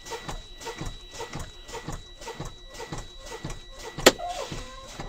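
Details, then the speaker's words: Air brake test in a truck cab at driving school: pumping the brake pedal to fan down air pressure with hands off the valves, both spring brakes pop out simultaneously between 20 and 40 psi; one sharp air pop, normal. "all right so both spring brakes have popped between 20 and 40."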